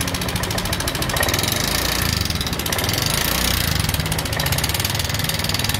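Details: Honda Vario 125 injection scooter idling with a rough, busy clatter riding over the engine beat; rough engine noise from a worn rocker arm bearing.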